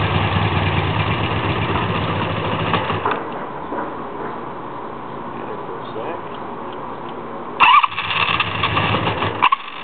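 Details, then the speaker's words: 1984 Honda Magna V65, cold start on choke with a little gas, then half choke: long cranking with the engine catching and dying, plus sputtering bursts that won't settle to an idle. Very hard starting, cause undiagnosed. "Take off the choke. Half choke. Almost had it."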